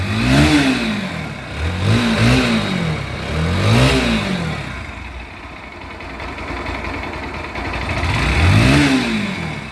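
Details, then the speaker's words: Pulsar NS motorcycle after an engine rebuild: a failed oil cooler starved the engine of oil and seized it, so the con rod, cylinder, camshaft and rocker arm were replaced. Blips rise and fall smoothly to a steady idle with no knock or tick; healthy. "এই জন্য আমাদের পুরো বাইকটার ইঞ্জিনের কাজ করা লাগলো, এক কথায় ইঞ্জিনটা সিজ করছিল। তো ইঞ্জিনের কাজ করার পর ইঞ্জিনের সাউন্ডটা শুনুন।"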